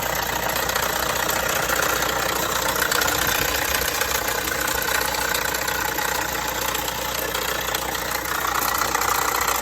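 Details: Vauxhall Astra 1.6 at idle: light, loosely regular metallic rattle about two or three taps a second, present for a few months; dealer found no problem, source not pinned down.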